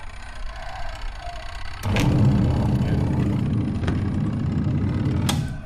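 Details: Twin-tub washing machine, wash motor running while the spin-dryer motor only hums and won't turn: wash motor kicks in with a steady low hum and churning water, running evenly with no grinding or labouring.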